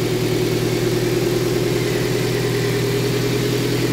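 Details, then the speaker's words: Toyota MR2 Spyder after 1ZZ engine swap, first start: smooth even idle hum with a steady low note, no knocking or ticking; the previous rod knock is gone. "so let me start it up for you guys so you can see how it sounds no more rod knock which is good"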